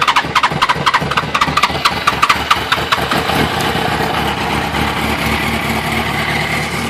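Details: 2006 R1 motorcycle that won't start even with a new battery: the starter cranks with quick regular compression pulses, then a flat steady whir, and the engine never picks up. Crank no start.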